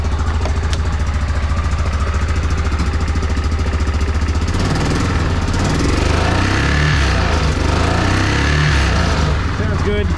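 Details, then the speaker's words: Yamaha Rhino 660 UTV, revved after a muffler bracket and pipe repair. Even single-cylinder thump at idle, then a rough, uneven clatter when revving. Owner suspects a clutch or engine noise, cause unconfirmed. "that i'm listening to this it sounds like i got some kind of clutch noise or engine noise [Music] that sounds really bad"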